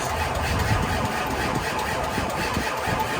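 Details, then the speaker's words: Ford 7.3 diesel with a repeatedly blowing fuse, three-quarter tank: steady, laboured cranking with an uneven chug that never fires. Owner wants more power and a big jump box. "I think I'm going to need more power we'll try it one more time might have to get the big jump"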